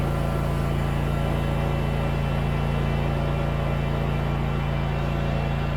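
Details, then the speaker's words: Scag mower with Kawasaki FX691V V-twin after carburetor replacement, which cured popping and backfiring; restarted with choke and not fully warmed up: even, steady beat with no pops or misses, running smoothly. "Sounds good. Yeah, just needed a quick choke. It's not fully warmed up."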